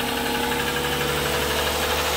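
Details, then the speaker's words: Toyota Sienna after oil change and alternator replacement, idling: steady metallic clatter over an even idle with no change in speed; noisy timing chains rattling. "okay I changed the oil too that's a clattery motor boy"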